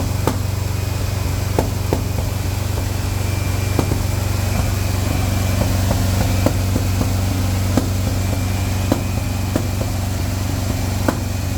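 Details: Petrol engine idling during break-in run with an uneven beat and sharp irregular pops about three times a second, a misfire traced to the #4 plug wire.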